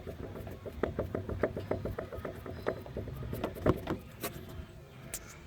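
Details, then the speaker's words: Suspected bad CV axle worked back and forth by hand, showing excess play in its length adjustment: a quick run of light clunks about three a second; a worn outer CV joint. "and that's a usually bad indicator of a worn a cv axle on the uh outer boots"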